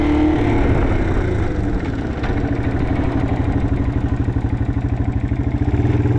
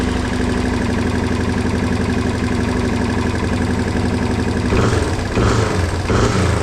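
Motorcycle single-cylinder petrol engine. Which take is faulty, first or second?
first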